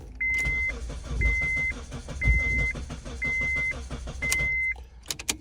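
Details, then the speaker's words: 2002-2006 Honda CR-V after ignition lock cylinder replacement, old immobilizer hooked up without the key near it: steady fast starter chatter for several seconds under a chime about once a second, never catching; immobilizer not reading the key. "It's gonna crank over, but it won't start without the key in place."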